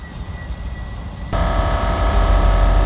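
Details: Ford Transit Custom 2.2 with blocked DPF (codes P2002, P244C), DPF cleaning fluid (1 litre, 50-50 with water) being injected through the pressure sensor hose at 130 psi: a low hum, then a jump to a louder steady drone with a fast even pulse as the compressor cuts in and runs normally.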